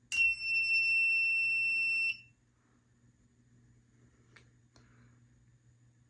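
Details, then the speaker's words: Fire-Lite MS-2 fire alarm panel, after pressing reset: single shrill steady trouble buzzer about two seconds then stops; NAC circuit fault trouble signal. "so right here you can see the inside of the panel so we're just going to go ahead and press reset so you can hear the buzzer"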